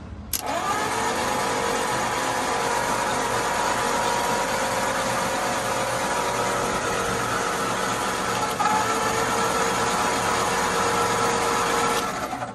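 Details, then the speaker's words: 1950 Ford flathead V8 truck after sitting about 40 years, freed with PB Blaster, starter solenoid suspected bad and bypassed with vise grips: steady starter whir as the engine spins evenly for several seconds without binding. Cranks pretty good, good compression. "Oh Lord. She whirls. Pretty good, actually."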